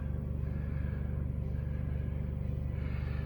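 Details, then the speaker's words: LF Bros diesel heater in a toy hauler RV, run off a 4Patriots solar battery generator with a muffled exhaust hookup, starting up with heat turned all the way up to 5.0: steady low fan rumble with soft even fuel pump ticking about three times a second; normal startup. "Turn it on. It'll start heating itself up or clicking or whatever. You'll hear the fuel pump clicking a little bit."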